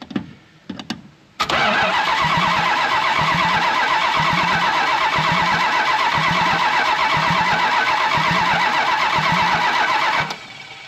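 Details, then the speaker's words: 1968 Plymouth Road Runner with a 440 (believed from about a '78 truck or motorhome), run without headers or manifolds. Cranked by jumping the starter relay: steady rhythmic cranking at about four turns per second, no firing, no oil pressure yet. "here's our relay just jumping across it well if I can get in there see if we got any oil pressure nothing"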